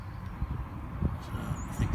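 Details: Mercedes M113 engine with a rough idle: low, uneven rumble broken by irregular heavier thumps; owner asks for help diagnosing.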